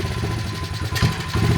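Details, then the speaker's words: Modified 2003 Honda XR50 pit bike that sat outside, with an overfilled crankcase: low uneven idle, and a short hesitant rev with gentle throttle. It dies if the throttle is opened quickly. Dirty carburetor suspected. "but if I just open it the engine gives up"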